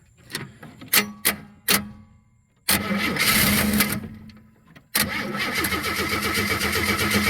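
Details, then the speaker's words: 1963 Chevy II inline-six, long parked, after dark: several short starter bursts, then two longer cranks chugging about four per second that never catch. Owner suspects the starter's position and a lack of fuel. Cranks, won't start. "and if we can just get a little pump of fuel up in this dude"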